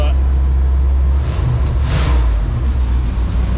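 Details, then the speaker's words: 1992 GMC K2500 454 big-block V8 with rebuilt TBI, new fuel tank, pump, cap, rotor, wires and plugs, after sitting about 15 years: revs right up on a blip and drops cleanly off fast idle, smooth; idle seems slightly high; normal. "revs right up, drops down off the fast idle. Just nice and smooth. Idle seems a little high, but I'll figure that out."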